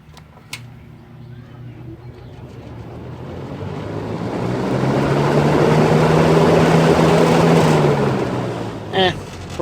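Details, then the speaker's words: Old electric fan starting up; low hum climbs steadily in pitch as it spins up then settles, motor whining and sounding dry, owner expects oiling to make it sound better. "Figured just for shits and giggles, because it did hear the whining of the motor slowing down, maybe there's a startup."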